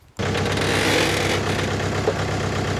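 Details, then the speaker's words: Jeep reversing slowly on the trail makes a rough rhythmic grinding under the vehicle; suspected blown locker or axle shaft, confirmed as broken rear axle shaft and bearings. "sounds like shaft to me oh that's not good"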